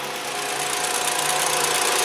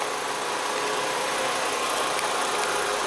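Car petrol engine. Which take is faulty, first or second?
first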